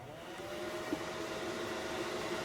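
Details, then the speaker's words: Datsun 280Z electric conversion, ignition on: steady, even heater blower whir with soft airy rush, no rattle or squeal; contactor energizing faintly audible; blower fan running normally. "can hear the fan. If you were listening closely, you could hear the contactor energized."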